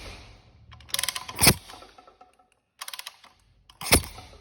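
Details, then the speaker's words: 2010 Yamaha YZ450F, hard to start (needs push start), spark plug removed and kicked over: two kick bursts each ending in a sharp crisp snap; strong spark, ignition fine, though plug found burnt. "Yeah, so it got spark. Yeah, definitely got spark."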